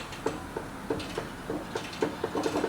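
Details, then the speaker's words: Customer's trailer jacked up, wheel rocked by hand: sharp irregular knocks, about three a second, from large hub play, suspected bad bearings or a loose castle nut. "there's that knocking sound indicating either some bad bearings or a loose castle nut"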